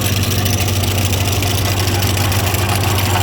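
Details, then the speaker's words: Ford 515 sickle mower on tractor, just greased: steady low tractor idle with even mower clatter, no loose rattles or knocks; normal running. "i'll probably re-grease everything but honestly it sounds good no weird big rattles or anything"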